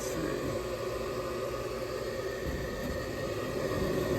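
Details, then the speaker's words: Older York gas furnace after repairing a locked-up, hot, buzzing draft inducer that caused three flashes (pressure switch stuck open): the inducer now gives a steady, even whirring hum with no knocks, scrapes or wobble, running normally. "all right guys pretty straightforward with that draft inducer got her back up and running"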